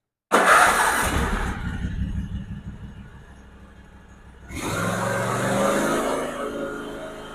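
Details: Small engine after a valve lash adjustment: catches at once, dips briefly, then settles into an even, steady run with no ticking or misses; sounds healthy.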